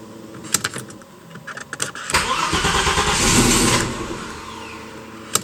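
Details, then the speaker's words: Audi S4 Porsche Boxster turbo project, cold start after ECU tuning changes: a few clicks, engine catches, flares for about a second and settles cleanly to idle without the earlier hanging revs; good cold start. "So in terms of cold start, it's really good. So the revs will raise up and then drop down nice and quickly. Before they'd sort of hang and they weren't following the targets I'd set. So this is a cold start now."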